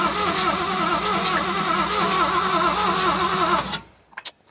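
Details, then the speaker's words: Classic Ford Mustang with a swapped engine, sat for years, fuel pump being primed, battery possibly low: steady cranking at about three turns a second for nearly four seconds, never fires, then drops off, still won't start after the coil is switched on. "Still no dice."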